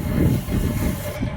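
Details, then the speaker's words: Split AC outdoor unit after a compressor no-start fault, with burnt compressor terminal wiring repaired; steady low even hum with no knocks or rattles, compressor and fan running normally, gas reported okay. "and you see now this machine is also is working very nice this gas is gas is okay everything is okay"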